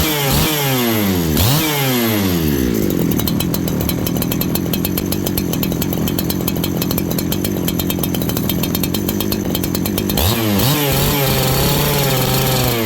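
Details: Farmertec 288 kit saw after oil pump repair and carb tuning: saw blips up, holds a clean steady scream for several seconds, then drops back to an even slow idle; carburettor set right, chain now oiling.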